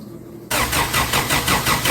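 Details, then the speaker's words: 1990 Isuzu Trooper 2.6 four-cylinder 5-speed, after engine refresh and EFI-to-carburetor swap, first crank with new ignition wiring: steady cranking about five pulses a second, never fires; no spark, coil signal wire suspected miswired. "Alright. We got no spark."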